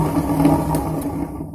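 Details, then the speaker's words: Super General SGW16100 washing machine, about 2 years old, opened up and running: a rough droning hum that fades as the drum coasts down after switch-off; the drum bearing has failed with its balls gone and play in it. "इसका तो बेरिंग पूरा निकल गया है। हाँ, जो बेरिंग में होता है ना ऐसा, जो बॉल्स वो सब निकल गया है, तो दिखाई दे रहा है पूरा।"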